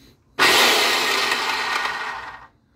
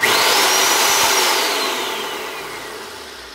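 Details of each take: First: Craftsman circular saw after replacing destroyed bearing: spins up to clean steady high whir and coasts down smoothly, no grinding or rattle; normal running, sounds better than before. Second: Old Craftsman circular saw test-run after partial disassembly during a bad-bearing repair. High motor whine spools down over about four seconds with a faint rough rumble; otherwise fairly smooth. Bearings are suspected, not confirmed.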